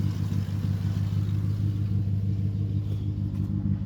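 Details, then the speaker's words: Vehicle with exhaust broken in half: deep lumpy V8 rumble at steady idle, loud with exhaust broken in half, running evenly with no misses or knocks; good oil pressure, normal idle. "It's got good oil pressure up there. It's got fuel. That's nice. Awesome. Hell yes. It actually sounds good."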